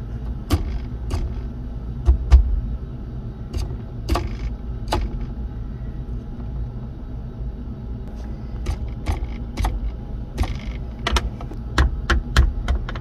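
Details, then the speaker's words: AZDOME PG-16S dual mirror dash cam while driving: sharp irregular clicks and ticks over steady road rumble; the power button rattles audibly. "we got to figure out where that noise is coming from now i had a lot of video i couldn't use because the rattling noise was just too annoying"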